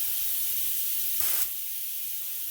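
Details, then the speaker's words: Auarita K-400 LVLP gravity-feed spray gun, 1.4mm nozzle, set by ear to about 30 psi with no gauge: steady, smooth high hiss with no sputter or pulsing, giving a distinct oval spray pattern. Normal air flow. "So when I'm setting up a new paint gun, I'm generally going by sound, and feels like it's about 30 psi."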